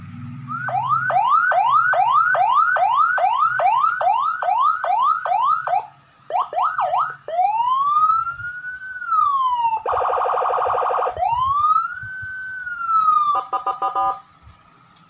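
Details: Senken 40 W siren after repair of a burnt PCB mic track, corroded power stage track and scorched board section, with mic switch and microswitch added; cycles cleanly through fast yelp, slow wail and hi-lo tones, steady and undistorted, working normally.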